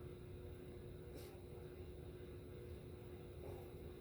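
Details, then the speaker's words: Rusty vintage Wing TAT spinner ceiling fan, once very stiff and now freed up: quiet, steady buzz with a thin tone over a low motor hum. Speeds likely use coil taps. Source not confirmed; loose blade screws or nuts suspected. "So far, it's not horrible. That's about the worst of it. I'd probably give it living room. That buzz is annoying, but otherwise it's not."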